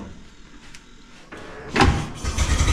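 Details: 1912 Oldsmobile Defender, about 113 years old, cold and unstarted for roughly six months, started by turning the crank: a few weak cranking strokes, then a rough burst that won't settle into a steady run; it fires briefly but won't keep running.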